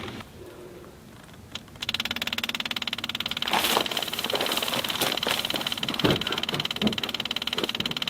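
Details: 1981 Mercedes-Benz 300SD with OM617 diesel, towed in after losing power and dying: starter cranks steadily about three beats per second but engine never fires or coughs; crank, no start, cause unknown.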